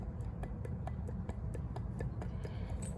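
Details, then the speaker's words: Removed water pump from a 2004 Toyota RAV4 2.4 L four-cylinder, rocked by hand on the floor: sharp light clicks about four a second from bearing slap; the pump wasn't leaking, just noisy, and is being replaced. "that's bearing slap it wasn't leaking and it was just making a lot of noise"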